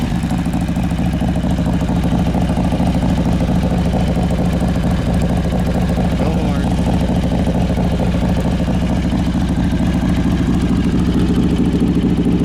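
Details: 2003 Harley-Davidson Road King, carbureted, choke pulled, gear-driven cams, timing cover inspected: loping V-twin idle about 130 beats a minute with faint steady whine on top from gear drive; normal.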